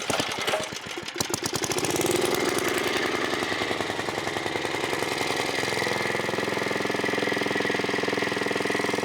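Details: 1980s Onan 1.7 kW generator after carburetor cleaning, air filter refitted: starts and settles into a steady, even, fairly fast beat, no misses or knocks; it briefly shut off once, owner unsure why, maybe clogged again, but overall working.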